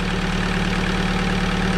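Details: Alfa Romeo 156 JTD engine idling with a light, quick ticking that keeps pace with engine speed; valvetrain clatter from worn cam lobes.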